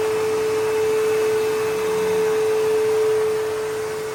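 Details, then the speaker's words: Bissell PowerForce 3522-1 upright vacuum, motor lubricated after squeaking, new belt, original roller; steady even whine at constant pitch, no squeak or rattle; normal running after repair. "And yeah, motor sounds great. It's all lubricated, so it should be good to go."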